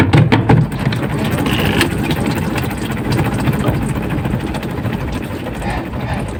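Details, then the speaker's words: Washing machine spin dryer loaded with clothes: dull, uneven repeated thumping under the motor drone while the drum spins; knocking stops when run empty. "jadi bunyi seperti itu ya Bunyi beletuk-betuk sebelum kita ketahui masalahnya kita angkat dulu ya"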